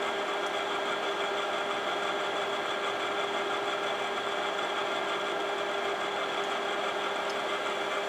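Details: Imation LS-120 SuperDisk drive writing a SuperDisk: constant buzzing whir with small irregular ticks; head movement sounds unusual, owner suspects a track-alignment problem; written data turned out corrupted.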